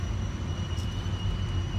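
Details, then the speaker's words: Toyota Avalon pulling uphill on Santa Margarita Pass at mile 412, just after A/C turned on: thin steady high squeal above road rumble, appearing with the A/C load; cause undetermined. "And now, as you might be able to hear, I got this loud, well, it's not loud, but it's loud enough squealing sound. Doesn't sound promising."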